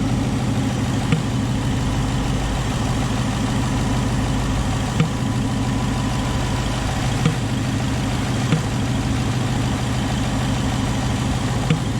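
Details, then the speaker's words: Tuned 2019 Ford Mustang GT Premium PP1 with JLT cold air intake: deep steady V8 idle with sharp irregular pops every few seconds echoing in the intake tube near the throttle body, repaired under warranty. "We were having a ticking or a popping sound out of the cold air intake. Well, you could hear it out of the cold air intake anyways. It was echoing in the plastic tube basically."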